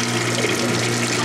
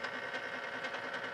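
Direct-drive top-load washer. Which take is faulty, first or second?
second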